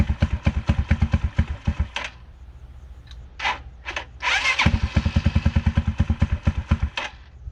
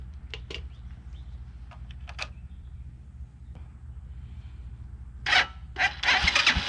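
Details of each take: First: 2010 Dongfeng DF250RTB 250cc single-cylinder air-cooled motorcycle, sat 10 years, revived: catches in quick even thumps, stumbles and dies once, then fires back into a steady fast putter while warming up; idle needs slight adjustment; starts and idles normally. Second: 2010 Dongfeng DF250RTB 250cc single-cylinder air-cooled motorcycle after 10 years sitting, fresh gas added: starter churns in bursts, engine spins without catching; not getting fuel, so the carburetor comes off.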